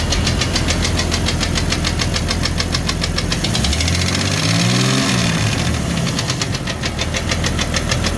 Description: Here's what a broken piston skirt sounds like on a 1999 Jeep Cherokee XJ with 257k miles on it.